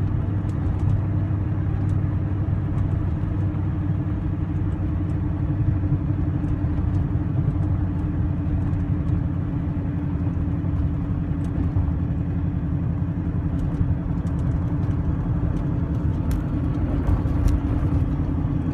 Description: TVR Chimaera 400 misfire at low revs